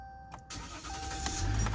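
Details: 2016 Ram 1500 EcoDiesel after cleaning and reassembling the connector pins behind a no-crank/no-start; it has a known coolant leak. Key jingle, short crank, then the diesel catches and settles into a steady low rumble; normal start.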